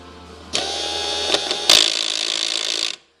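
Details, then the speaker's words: Old power window motor kept from a previously sold car, bench-tested: high, rasping whir with ratcheting chatter; it spins about one rotation, then the stripped gears grind in both directions. "this is what a bad motor sounds like you can see if I can show the gears there you go Gear's grinding"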